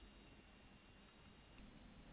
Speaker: We hear the characteristic squeak of the blocking oscillator, it tells us that the roentgenmeter is on.